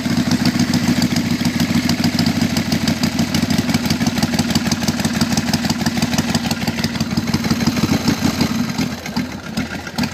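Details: 1999 Harley-Davidson Sportster XLH 883 with 1200 kit fitted about 25,000 miles ago: loping idle with heavy uneven banging about three per second, seemingly in the front cylinder; mechanic suspects failing lifters.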